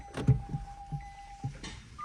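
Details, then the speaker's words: Nissan Leaf ZE1 40 kWh creeping forward and back: distinct sharp clicks over a quiet electric drivetrain; still there after greasing the drive shaft splines; owner is sure it's not the CV joints but the shaft splines in the hubs. "слышали Ёлка слышали ой не знаю не знаю блин ну это 100% не гранаты это вот в ступицах щёлкает"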